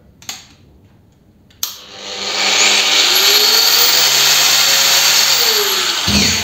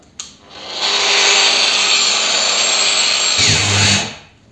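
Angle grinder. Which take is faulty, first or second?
second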